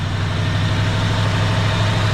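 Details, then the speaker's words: 1965 Ford Galaxie 500 hardtop after carburetor rebuild, long-stored car with known vacuum leaks; smooth, even low rumble with steady beat and no knocks or stumbles; healthy idle. "that thing sounds good all right y'all any of y'all that commented and said nope it ain't gonna move you were right but hey we got the old girl running good again"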